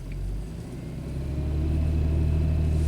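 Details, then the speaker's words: BMW X5 with mass airflow sensor swapped from the other car, brake-torqued in drive: deep, steady engine drone rising slightly under load, smooth with no misfires, so this MAF works fine. "fine no misfires so this mass airflow sensor works fine"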